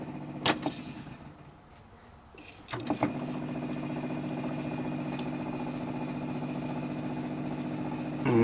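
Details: Sony TC-350 three-head reel-to-reel, playing at 7.5 ips: a couple of control clicks, then a steady motor hum with no tape sounds. The gummed-up capstan idler arm rubs the motor pulley but won't pivot in, so the tape stalls.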